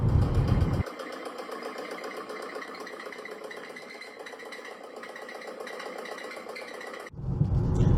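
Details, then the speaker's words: 2025 Corvette C8 ZR1 with reported failed powertrain: quick even ticking, about four per second, over quiet engine with heavy rumble around it; abnormal noise, cause unknown. "That sound is not normal. That car should not be making that noise."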